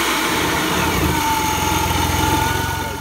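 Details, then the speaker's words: BMW E46 328i M52TU on its first start after a VF Engineering supercharger install, untuned and with temporary plumbing. Strong even engine note with a steady high supercharger whine and no knocks or misses. Normal supercharged running. "guys heard it ran sounds good sounds good sounds strong"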